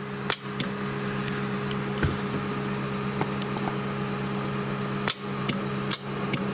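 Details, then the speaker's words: Ham radio station: FT450 PTT keys a small 12 V interfacing relay, which keys the linear amplifier's big relay; sharp single clicks over steady mains hum as relays pull in and drop out, normal switching. "you can see that little relay coming in, and you can hear the big relay coming in on the amplifier."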